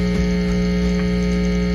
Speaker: you got a hum cuz I'm holding on to the test leads right now